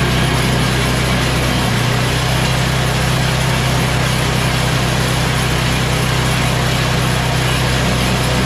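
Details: MTD Yard Machines Tecumseh 8 HP Snow King 24-inch snow blower after new carburetor and fuel line plus oil change, at full throttle: loud steady engine beat with no misses, surging or knocking; fully tuned up.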